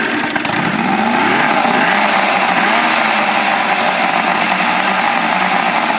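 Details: 1984 Grady White Overnighter 20 outboard, freshly mounted and running on the water hose; three two-barrel carbs fed by a fuel distribution block that leaks while running. Steady, even buzz with no misfires, rattles or surging: normal running.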